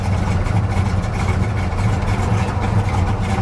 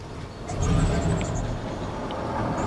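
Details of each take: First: she's running boy she's running rich but i'll tell you what you got to give it to the old girl she's sitting here purring like a kitten Second: 1999 Dodge Ram Sport, abandoned six years, on a 150-mile drive: V8 rumbles low and uneven, surging and sagging while running on its own, then stalls; rough running blamed on damaged crank sensor and O2 wiring.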